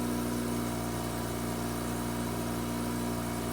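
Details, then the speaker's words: Mazda RX-8 rotary just after ignition coil replacement for a P0300 cylinder 1 misfire: it starts at about 2000 rpm and slowly drops, with a steady, even hum and no stumbles; smooth cold fast idle. "oh my god it started guys rpms are at 2000 and they're slowly dropping"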